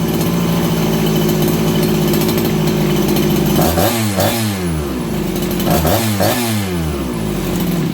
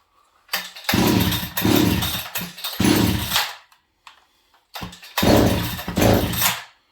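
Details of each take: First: Farmertec 288XP kit chainsaw after ignition repair, cold around 5 °C, low jet richened from lean: steady idle, then two quick blips rising sharply and dropping straight back; crisper throttle and faster-settling idle. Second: Farmertec 288XP kit chainsaw after ignition repair, horribly flooded with oil coming out; catches in ragged bursts, revs surge, die and restart, won't hold idle; flooded engine running erratically.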